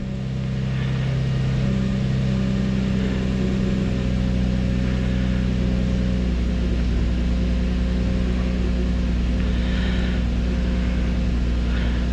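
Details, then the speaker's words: Infiniti G35 at idle, key on engine running, during an injector balance test with number one injector disabled: steady low drone with an uneven loping beat, one cylinder dead; idle changes, then recovers when the injector is re-enabled. "okay y'all can hear the change and definitely changed so we go back yeah I hear the idle go back up"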